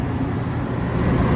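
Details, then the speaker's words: Belt-drive exhaust fan after a loud noise was traced to bad motor bearings: even, low steady hum with no bearing growl or squeal, running quietly; customer told to keep an eye on it. "everything's running good and tell the customer to keep an eye on it"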